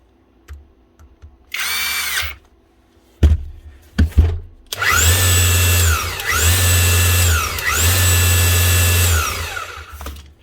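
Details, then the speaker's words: Old demolition hammer, parts no longer available: motor whines up and winds down three times with gears turning but no hammer blows; tool holder very stiff, suspected rust in bottom of tool holder, to be freed with WD-40. "Nah, the problem's up here. The problem's definitely up here. It's very stiff. I would say that is rust in the bottom of the tool holder."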